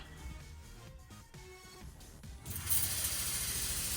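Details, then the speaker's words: Snow Performance Stage 2.5 water-meth kit on a 2014 Mustang Coyote 5.0, first test with water only: light mechanical ticking then a steady even hiss as the pump sprays through the nozzle with no stutter; pump working normally. "Go ahead and press the P on it. Yeah, I can hear the pump."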